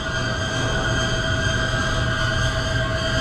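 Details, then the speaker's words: LG Multi V IV VRF outdoor unit, during inverter compressor replacement for CH26/CH29 overcurrent error: steady, piercing screech with several fixed high tones over a constant hiss. Source unconfirmed; technician suspects a valve opening with refrigerant squeezing through. "do you hear that sound trying to figure out what's that screeching sound"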